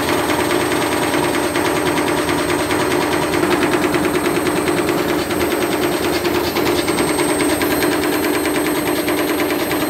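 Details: Candy Grand'O Vita tumble dryer on a fitted washing machine motor, belt re-tensioned, some slipping: rapid rattling bangs about two a second over a fast spin as the overspeeding drum bashes, seemingly cutting white wiper pieces off the plastic front piece.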